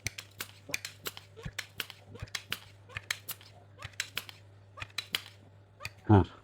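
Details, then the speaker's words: Sharp Innova air rifle pump after repair, chamber bolts tightened, test before refitting stock: sharp regular clicks about every third of a second, even rhythm; sound changed to "nguk-nguk", pumping normally. "Dan Teman-teman perhatikan dengarkan ini langsung berubah suaranya menjadi nguk-nguk."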